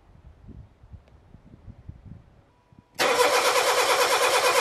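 Quiet, then steady cranking with an even pulse of about three per second and no weak beats; compression sounds balanced across cylinders.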